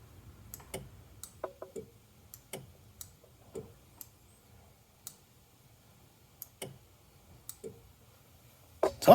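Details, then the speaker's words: Old jet ski that sat for years, battery on charger: sharp single clicks about every half second while start button held, no cranking; clicking stops when a component is disconnected; clicking, no crank. "making noise that's gotta do something with this disconnected it doesn't click anymore so that tells me that this is doing something"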